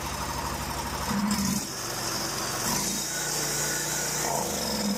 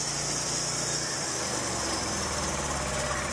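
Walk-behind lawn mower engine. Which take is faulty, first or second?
second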